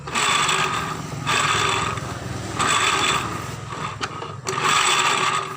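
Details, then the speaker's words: Scooter CVT case growling while riding: rough, gritty growl swelling and fading with each throttle blip; likely worn bearings in the CVT, unconfirmed. "Perhatikan, suaranya kasar banget di sini. Ini diperkirakan kahler-kahlernya yang kena."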